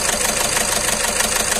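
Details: Volkswagen Vento 1.6 TDI diesel at idle with misfire codes P0202, engine shaking heavily: rough, lumpy clatter from a dead cylinder 2 Continental injector, confirmed by unplugging injector connectors; injector to be repaired or replaced.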